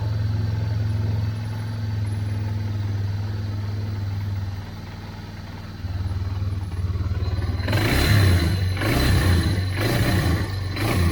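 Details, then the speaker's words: 1999 Yamaha Bear Tracker 250 single-cylinder ATV with new aftermarket carburetor, stalling problem: uneven wavering idle, then rough surging revs that catch and fall back; owner suspects fuel delivery problem, maybe stopped-up petcock, acts too lean. "but nothing like throttle maybe having a fuel delivery problem i wonder if the petcock stopped up"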